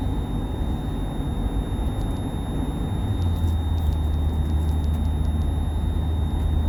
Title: Whining Noise in Van